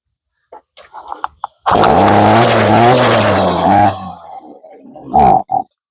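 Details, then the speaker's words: Ryobi two-stroke gas string trimmer after carburetor replacement: catches, runs a rough wavering note about two seconds, then sags and dies; stalls at idle because idle speed is set too low, before adjusting the idle screw. "Ang nangyari naman ngayon namamatay siya sa idle no sa menor. Wala siyang menor."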